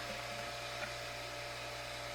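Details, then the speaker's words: New replacement water pump at a homestead, pressure set to 50 psi, kicking on: steady low hum with an even motor whine and no knock or rattle. It runs briefly and clicks off normally. "And it won't be on very long. See, and it clicked off already."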